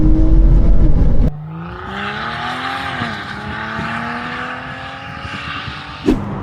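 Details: BMW X5 xDrive45e plug-in hybrid SUV, stage 2 tune with OPF deleted, aftermarket valved cutout exhaust opened, comfort mode, not floored: loud hollow booming drone that swells and sags with revs, resonating at low RPM; exhaust drone with cutout valve open.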